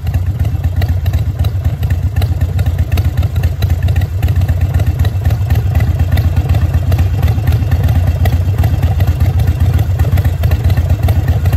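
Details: Harley V-twin (Sportster/Dyna/Softail/V-Rod) with a manual idle air control valve replacing the factory IAC, idle rpm dropped down: loud, deep lumpy beat of about four pulses a second, steady and even throughout; idling low and healthy.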